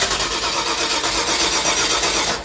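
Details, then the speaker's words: Crank no start: steady fast cranking for over two seconds without firing after the emptied carburetor was refilled and leaks hopefully fixed; carburetor pouring gas, flooding the engine; owner suspects he screwed something up. Return spring recently tightened, vacuum hoses not yet hooked up. "It just will not start. Oh god, the carburetor is pouring gas right now."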